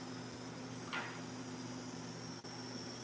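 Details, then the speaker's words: Melodysusie Scamander cordless rechargeable nail drill, 30,000 RPM, benchmarked against an Erica: quiet steady high hum, constant pitch, no wobble or rattle, brief brush noise; not hugely different in smoothness. Normal running. "smoother smoother but you know what it's not a huge huge difference"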